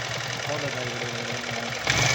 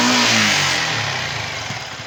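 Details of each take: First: Yamaha R15 V3 BS6 at about 8000 km, before repair: revving single with busy metallic clatter from engine head over the exhaust, swelling with throttle; worn rocker arm causing valvetrain noise, fixed by rocker arm change and clearance adjustment. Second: Yamaha R15 V3 BS6, about 8000 km, after rocker arm replacement and clearance set: clean rev dropping away smoothly, no top-end ticking or rattle; three days' riding showed good pickup and no stalling, normal running.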